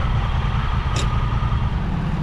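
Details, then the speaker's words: Auction-bought wrecked 2021 side-by-side UTV with 500 miles, oil looks new, battery dead (jump-started, shut off when cables removed): short burst of steady, even engine note, no knocks or rattles; runs good, rev limiter sounds good. "I'm really happy to hear it run. It runs good. Limiter sounds good."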